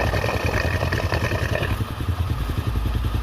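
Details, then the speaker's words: Honda Astra Star/Supra motorcycle idle after clearing a clogged oil pump that was not sending oil up to the head; even low putter, light regular patter, no loud tapping, before warm-up and valve adjustment. "Tuh ya, suaranya jadi halus ya teman-teman, halus."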